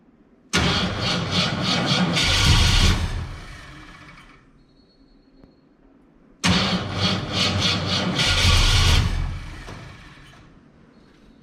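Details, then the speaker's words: 1967 Ford Fairlane, first start attempt after 7 years sitting: two cranking bursts each catch briefly with ragged sputtering pops, then fade. Misfiring on start and backfiring through the carb, with timing suspected off but not confirmed. "that would be the definition of a backfiring why is it off so far"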